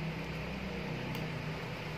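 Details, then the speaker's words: Cosmos electric fan after emergency fix bypassing failed thermal fuse: steady low hum, even unbroken whir, no rubbing or ticking; rotation correct, no capacitor wire swap needed, normal running. "Oke, nah ini sudah benar. Jadi tidak perlu menukar kabel kapasitornya."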